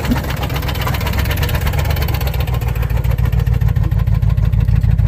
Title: Lexus even with rod Knock still runs